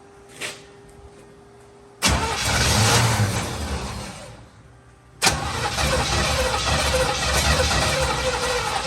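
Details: 1950 Plymouth Deluxe with Chevy engine swap, first start after 23 years off road, new fuel filter and spark plugs, fed from gas can, poor choke: cranks, V8 barks, fades, refires and holds steady rumbling idle; first start after storage.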